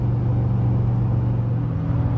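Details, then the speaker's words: Tuned, deleted L5P Duramax towing a trailer down a 6% grade, foot off the gas, holding speed on engine braking: deep, even rumble with no knocks or rattles when the brake is tapped. A healthy diesel engine. "If I were to tap the brake, you hear that? That's what you call a really healthy diesel engine right there. That is a healthy engine."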